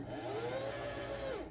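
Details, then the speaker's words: 1977 Kenmore 158.19412 sewing machine, motor whirring up and winding down with a dry rubbing hiss: the belt, set too far right, rubs the plastic side cover; fix is to loosen the set screw and shift it over. "I think that says yes. It's really hard to see it, but that noise is this belt rubbing on the plastic side cover. So this cover right here, it's rubbing."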